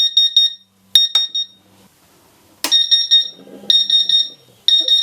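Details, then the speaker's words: Laser-cutter water chiller that failed with a bang, powered from an industrial supply after opening: sharp high-pitched alarm beeps in bursts about once a second with faint pump hum; lights on, pump running, alarm still sounding, cause unconfirmed. "right let's put some power in i think the alarm is still going to go off but uh we should when i turn it on see the lights"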